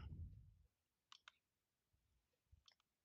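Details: Faint crisp single clicks spaced apart in a quiet room from a friend's iPod click wheel, refitted onto a newly installed replacement motherboard; normal clicking, everything working as expected.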